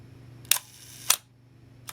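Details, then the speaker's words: Minolta SRT 200 35mm film camera body, shutter fired at 1/2 second: crisp opening click, then clean closing click after the delay; slow-speed shutter timing correctly, mechanism in good condition. "Very strong, I think, on these slow speeds. So it indicates this is in quite good condition. The mechanism is all still working properly."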